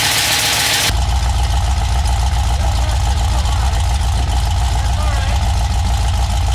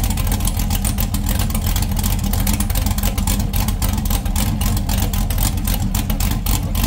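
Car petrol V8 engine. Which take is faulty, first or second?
first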